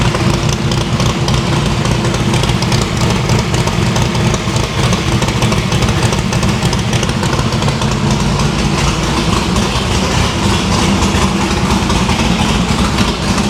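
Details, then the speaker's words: No-prep drag-racing stick-shift V8 after new PAC valve spring install: previously run on four plugs, now all eight plug wires on, headers still cold on one side. Loud, heavy steady idle, no dropouts. Valve springs seem okay; distributor index/rotor button fix expected to cure the misfire. "well after firing it up on four spark plugs it did in fact sound much better on eight so I think the valve springs is okay"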